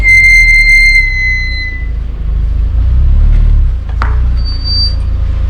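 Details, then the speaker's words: Squeal from the rear brakes on a car with freshly resurfaced discs and brand-new original-equipment pads: a sharp, high squeal ringing about two seconds over low engine rumble. "Escuchamos ese molesto chirrido o ese más famoso chillido de las pastillas. En este caso de este vehículo, el disco está rectificado, las pastillas son equipo original y están completamente nuevas."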